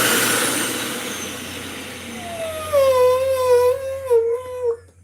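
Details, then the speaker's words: Dyson UP19 upright vacuum running: thin mid-pitched whistle rises, wavers and cuts out as the housing is pressed; air leaking past the filter seal, a thin rubber gasket fitted to fill the gap. "And all the gasket is going to do is just fill up that space that's allowing it to whistle. It's just a whistle."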